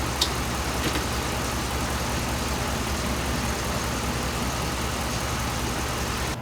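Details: 2007 Dodge Ram 5.7 HEMI V8 idling while warming up after a water pump replacement; 140°F at the thermostat, coolant still purging air. Steady, smooth, even low beat with no squeal or rattle from the front. Normal idle.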